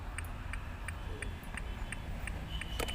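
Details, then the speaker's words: Honda Amaze turn-signal flasher: steady ticking about three a second over faint engine hum, indicator and door-open beep working again after instrument cluster repair. "Side indicator चला रहा है, इसी के साथ में आवाज़ आती हुई नज़र आ रही है। आवाज़ आ रही है।"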